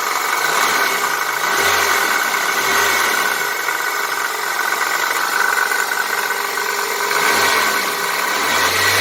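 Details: 1999 Chevy/Geo Prizm (Toyota Corolla) idling: loose irregular metallic rattle from the passenger-side power steering belt pulley, which has become slightly loose; fixed by tightening it.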